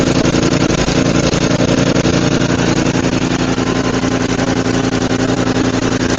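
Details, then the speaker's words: Roadside-found Murray 5HP 24-inch snowblower (Tecumseh) after head gasket replacement, carb cleaning and throttle adjustment following a runaway: steady even putter about two beats a second, no hunting or surging; normal idle. "So that's great. This thing runs amazing. It actually even idles, which is wild."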